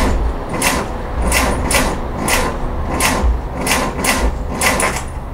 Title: Car won't start...here's the noise